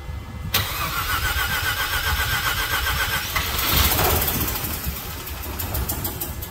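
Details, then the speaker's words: 1986 Mazda RX-7 (FC) rotary that sat since the mid-1990s, with old bad gas drained and little fuel left: the starter whirs, it catches into a buzzy, uneven idle, rises, then sags and stalls. Fuel problem suspected; fresh premixed fuel planned. "It'll run for a second, and then it just toots out."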